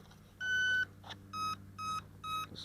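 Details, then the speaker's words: Parkzone T-28 Trojan electric RC plane, transmitter on, throttle stick down, battery connected: one longer beep then three shorter quick beeps as the speed controller initializes and arms normally. "for the initialization beeps. And we're good."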